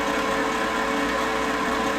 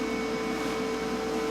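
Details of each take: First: Lincoln Power MIG 210 MP after drive motor replacement, dry feed with gas off: even, steady constant-pitch whir with no grinding, catching or surging; the new drive motor runs smoothly in the correct direction. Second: Lincoln Power MIG 210 MP after drive motor replacement: steady, even hiss of shielding gas escaping inside the machine at the gas block over a faint hum, with no gas at the nozzle; owner is unsure whether the MIG gun or the flow meter is at fault.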